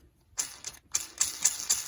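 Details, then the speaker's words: Echo backpack blower noisy when running: crank bearing spun by hand gives dry, gritty rattling in quick bursts; bearings rusty inside, to be replaced with new crank bearings. "The bearings are in there, and they are noisy. Yeah, that's noisy, that one."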